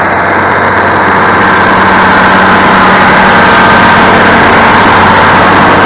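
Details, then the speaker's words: International 1586 diesel tractor after sitting about two years, loud even diesel clatter at steady idle, about four firing pulses a second, no misses or knocks; owner says it sounds beautiful, suspects hydraulic oil low; normal idle. "I am going to shut it down I want to let it run just a little bit though only because the man sounds beautiful beautiful"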